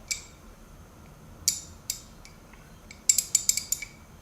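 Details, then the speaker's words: Old US-made Craftsman 1/2-inch drive ratchet: crisp light ticks, single then a quick run of five or six, as the spring-loaded pawl snaps over the gear teeth; normal, healthy ratcheting. "And it's spring loaded. That's why you get a little bit of resistance and you hear that click click click, because this is spring loaded to engage the teeth of the gear."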